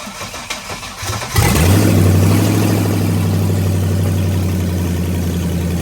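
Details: Rebuilt LS1 V8 swapped into a BMW E46, first start-up: quick crank, then catches cleanly and settles into a steady, even idle with no misfire or knock; healthy engine.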